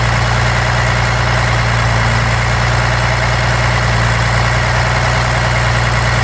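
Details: 1993 Dodge D250 12-valve Cummins diesel misfiring at idle, deep clatter with uneven loping beat; injectors, lift pump, shutoff solenoid replaced, valves adjusted, fuel-can test done, 400 psi compression on all six; owner suspects injection pump.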